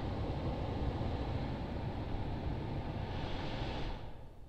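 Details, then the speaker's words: 2011 Honda CR-V climate control self-test with the blower at full: a steady, even air rush with no rattles, easing off at the end. The system checked out, after an earlier air-mix circuit short fault linked to no heat. "and this went off and it stayed off so that's a good the whole system checked out"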